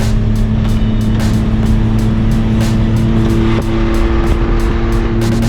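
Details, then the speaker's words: Car with patched muffler, recorded while driving with window open: very loud raspy exhaust roar and drone. The coated muffler patch failed after about a thousand feet, causing an exhaust leak; owner plans to cut off the exhaust. "so it's [ __ ] loud as hell i guess that is what i'm doing tomorrow i'm going to cut this [ __ ] exhaust off"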